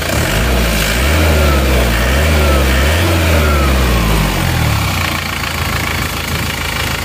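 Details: Isuzu Panther diesel after liner work, checked after 50 km drive, warm: blips up and drops to even steady idle clatter, no knocks or misses; no more smoke from oil filler, result satisfactory.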